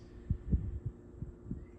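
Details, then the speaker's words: Well-used Lakewood box fan, grill ruled out as cause: heavy low thumps three or four times a second under the fan's hum, hub visibly wobbling; blade badly out of balance. "so this thing uh is way out of balance all right"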